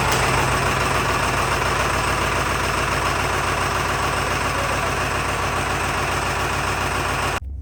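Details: 7.3 Power Stroke diesel truck described as reliable, heard at idle after key-on and crank: steady, even diesel clatter with a regular firing beat and no misses or stumbling. Normal, healthy idle.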